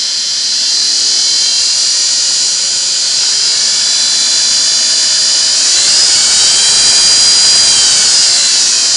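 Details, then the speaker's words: Restored Singer 401A sewing machine, final test before return to customer: high steady jet-like whine from gear meshing with the motor worm gear, plus cleaned motor carbons breaking in; normal. "So some of that whine is a typical, some people call it the airplane sound. Some of it is that text-to-light gear on mating up with the worm gear on the motor."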